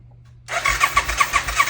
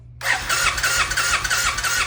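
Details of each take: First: 1990 Suzuki VX800 that sat a long time, first turn-over on the starter with plugs in: even, regular pulses with no binding or clunk, sounding like it makes compression; the engine turns over freely. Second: 1990 Suzuki VX800 V-twin, sat a long time, running on carb cleaner spray: lumpy, uneven firing that dies out momentarily and picks back up; rough running, carburetors need rebuilding.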